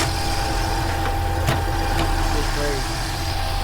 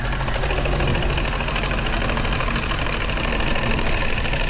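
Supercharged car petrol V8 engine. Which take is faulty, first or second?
second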